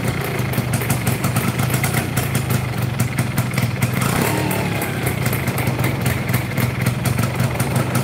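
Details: Yamaha Fiz R two-stroke that is hard to start, vibrates badly, uses a lot of fuel and has leaking compression: it idles with a rough, shaky rattle from the middle of the engine, suspected loose crankshaft area.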